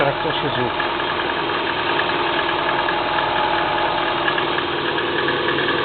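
Cold idle with an uneven, dull ticking knock over the engine note, about three per second; knock at idle, cause not identified.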